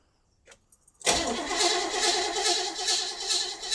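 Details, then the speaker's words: Abandoned, non-running 1977 Pontiac Grand Prix cranked with fuel added and a test spark plug on a wire; no spark was seen, and it showed up later after the connections were rechecked. Steady starter cranking at about 2.5 pulses a second with no firing. Cranks, no start. "Yeah, I did not see a spark. Give her another try."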